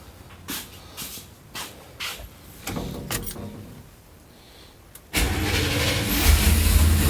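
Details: 350 engine after a no-start, following splicing of chewed wiring with heat-shrink butt connectors and a new pigtail: a few slow cranking strokes, a short pause, then it catches and settles into a steady rumbling idle; injectors pulsing, it starts normally.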